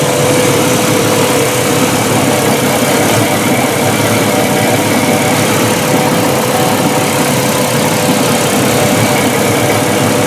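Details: Mercruiser 4.5 L 250 hp V6 in a Chaparral boat, after replacing a bad ignition coil that cut power under load, started with the bilge blower off. A loud, steady, even drone with no misses: a normal, healthy idle.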